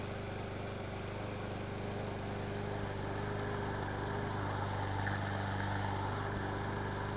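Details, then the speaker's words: Craftsman lawn mower single-cylinder engine that would not start or run, after carburetor cleaning and rebuild kit: holds a steady, even speed with a regular beat, no misses or surging; normal running after repair. "well there you have it a little bit of carburetor cleaning and a carburetor rebuild kit and that's what you got it fired right up"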